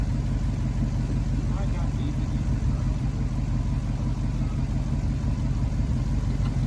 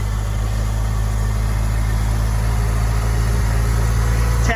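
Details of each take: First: Wrecked Honda S2000 with unknown engine, first start after struggling to crank on a draining battery: low, lumpy idle that hunts and stumbles instead of settling, with smoke; running rough at idle. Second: Honda S2000 with unknown wrecked-car engine, first start: after a rough, smoky start it settles into an even, steady idle with no misses; sounds much better.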